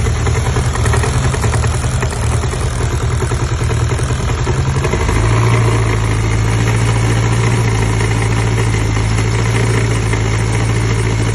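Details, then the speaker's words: Honda Civic petrol engine idling on all four cylinders: steady rod-knock-like knock about three times a second, seemingly from timing chain side; tensioner swap didn't help; cause was a too-long alternator bolt bottoming out, leaving alternator loose and rattling; spacer fixed it. "the alternator was loose and the alternator was sitting here rattling like this and it literally sounded like a rod knock"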